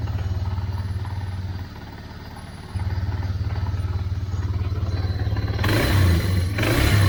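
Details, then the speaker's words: 1999 Yamaha Bear Tracker 250 single-cylinder ATV with replacement aftermarket carburetor chugs, sags about a second, then picks up and revs harder; fuel starvation stumble, fuel tap had been left off; owner first suspected stopped-up petcock, acts too lean. "but nothing like throttle maybe having a fuel delivery problem i wonder if the petcock stopped"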